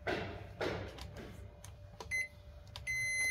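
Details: Rice cooker with an H01 error and a suspected faulty temperature sensor: after handling thumps, a short beep then a longer steady high beep at power-on with no error pattern; normal power-on. The cooling fan is noisy and due for replacement.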